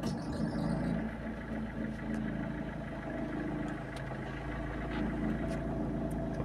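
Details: Peugeot 206 1.4 HDI diesel, nearly 350,000 km, after removing accessory pulley damper that caused clack at start and idle: even idle with soft steady patter, no sharp clack.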